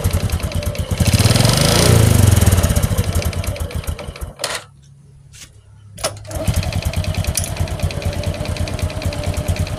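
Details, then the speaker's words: Honda Supra X 125 motorcycle with hard-to-hold idle caused by a carburettor problem: idle surges and falls, dies briefly, then settles to an uneven putter; engine also has rough noise, oil burning from worn piston rings. "Guys oke Guys di sini terdapat permasalahan yang mana ransamnya susah kita spel dulu ini permasalahan untuk langsam ada di karburator"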